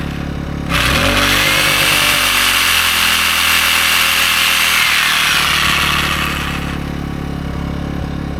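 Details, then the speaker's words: AiVolt 1600/1260 W gas inverter generator running DeWalt's biggest reciprocating saw: steady, even engine drone under the saw's high buzz, no surging or bogging; handles the load with the overload light staying off. "It's running the saw. No problem. Overload lights not coming on. So, it runs the sawz all no problem."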